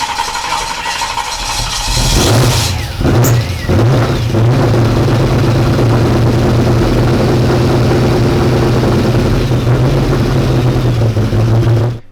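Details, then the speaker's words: 1992 Ford F150 prerunner on first start: catches, revs, then choppy wavering idle that sounds flooded; rich rough running, fuel pressure regulator bad, leaking gas into its vacuum line; plan to remove and cap it. "oh the regulator is bad so we that's probably the problem we need to pull that off completely and cap that"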